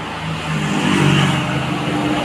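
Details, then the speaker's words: Honda Click 125 v2 scooter after swapping in a good original fuel pump, with a weak battery at 10 volts: engine starts on one click and settles into a smooth, even run with a stronger hum; fuel supply now good. "So pag itong fuel pump itong nakalagay so one click ah nagi-start siya kaagad"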